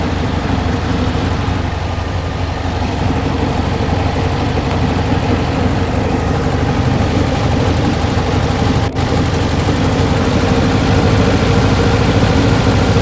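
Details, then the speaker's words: 1968 Porsche 912, air-cooled 1600 flat-four, off the road for years and in for revival with new parts. Unstable idle with a rough beat that hunts up and down. It was backfiring through the carb and timing seems too far advanced, to be checked with a timing gun. "uh she's jumping around more than I like so uh let me get the old uh timing gun on it and uh see what uh she comes out to"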